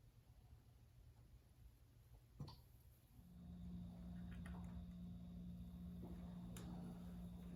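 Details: Restored vintage Ford Bronco 302 V8 first start after motor and transmission install: brief crank, catches and settles into a steady, even low rumble with no knocks or misses; healthy V8 idle.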